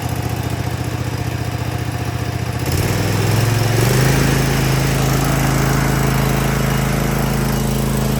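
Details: Cub Cadet ZT1 zero-turn mower at low idle after throttle cable and lever replacement: single-cylinder engine catches and settles into smooth, even idle with steady beat, no misses; sounds right.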